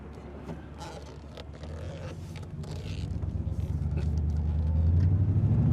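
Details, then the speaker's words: Chevrolet Silverado Vortec 8100 8.1L V8 misfiring and backfiring: weak unsteady idle with falling rpm; under acceleration deep rumble builds slowly, broken by uneven pops and stumbles, choppy and shaky. "you can hear misfiring when you accelerate this acceleration is slow and not smooth and kind of just poppy"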